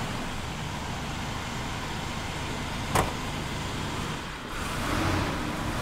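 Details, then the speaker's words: 1980 GMC C3500 dually, 21,445 miles, stored since 1997, with rebuilt heads: even steady V8 rumble at idle, no misses, ticks or knocks, one stray click; idles smoothly and healthy. "So as you can see, it runs smooth and it runs excellent, and it should."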